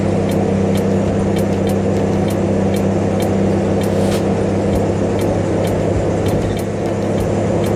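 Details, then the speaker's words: 1965 Mustang V8 with idle-stalling issues (owner suspects carburetor) after a long drive home: steady deep drone, loud hollow hum with sharp ticks, sounds like an airplane; owner suspects a miss and will check a spark plug cable. "oh guys we made it home sounds like an airplane she's got a bad mess"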